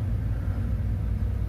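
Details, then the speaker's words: Toyota Fortuner 2TR with ETCS-i and automatic transmission, idling after the battery was replaced with the engine off, so the ECU lost its learned throttle valve angle: low, uneven rumble below 1000 rpm, engine shaking; rough idle. "Jarum RPM dibawah 1000, mesin terasa goyang. Ini adalah efek yang terjadi bila mengganti aki saat mesin mati. Memori sudut katup throttle body yang tersimpan dalam ECU dapat hilang teman-teman."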